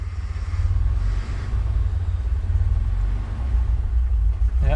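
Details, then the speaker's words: Ford Bronco II, 2.9 V6, intermittent idle stumbling between about 400 and higher rpm, fuel pump suspected bad; idling around 850 rpm with a hiccup, deep lumpy rumble surging unevenly: rough idle, cause unknown. "it's idling around 850 maybe a little bit High U which is where the manual says it should be um that weird little hiccup it just did"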